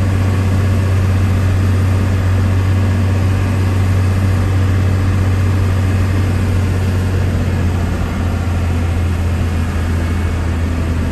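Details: 1993 Dodge Ram W-350 4x4, 12-valve 5.9 Cummins intercooled diesel, automatic four-speed, 51k miles, fully serviced, pulling uphill through all gears: deep, steady drone, no slipping or hard shifts; normal running under load.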